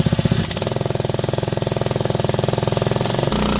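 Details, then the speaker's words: Honda WB20XT4C 2-inch utility water pump, used 5 years, pumping lake water with throttle raised to nearly full speed; steady, fast, even engine beat with no knocks, misses or grinding, healthy running. "Pretty much full speed right now. So the pump is"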